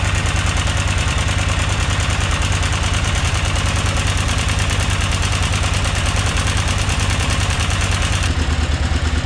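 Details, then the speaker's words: 2003 KTM 950 Adventure LC8 V-twin at idle after timing repair: even loping firing, no top-end clatter; previous diesel-like clicking is gone and the engine now sounds completely normal. "là pour moi elle fait un bruit tout à fait normal"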